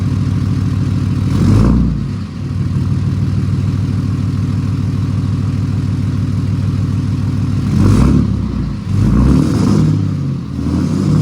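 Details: 2008 Ram 2500 6.7 Cummins diesel after replacing the failed turbo VGT actuator, recorded from the back of the truck: low steady idle with a few clean revs and no idle whistle. It works great, clearly different from before.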